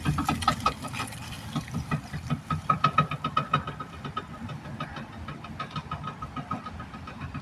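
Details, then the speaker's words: 2018 Ford Edge driven at about 5 to 10 mph: rapid metallic clicking with a rough rumble from the passenger-side front wheel, a faulty wheel bearing with slight play, heard after sticking brake pads were repaired. "That sounds horrible. That sounds like something definitely broke in there."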